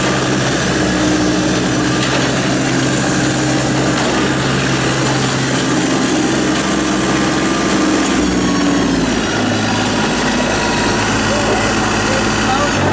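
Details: 2017 New Holland Boomer 24 compact tractor, 24 hp 1.3 L Mitsubishi 3-cylinder diesel, 329 hours, freshly serviced, being driven around: a steady, even diesel drone with a small speed change partway through and no knocks or rattles. Normal running.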